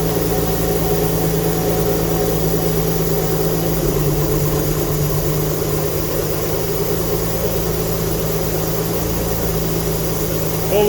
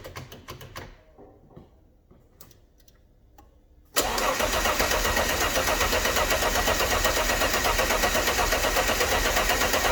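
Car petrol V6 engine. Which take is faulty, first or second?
first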